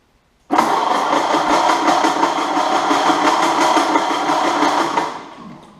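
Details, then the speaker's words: Unknown donor engine in a 1929 Ford Model A doodlebug, after new points and condenser gave spark: about four seconds of steady cranking at roughly three beats a second, never catching, no carburetor fitted so no fuel; no start. "Well, now that we got spark, there's something else that's missing. Guess we need a carburetor."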